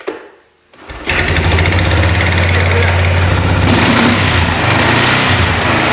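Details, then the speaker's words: 1999 Kawasaki Prairie 300 ATV after repair of the exhaust heat shield: pull start catches, then a steady, even run with the heat shield rattle gone; a small noise from the belt area remains. "anyway the rattle is now gone"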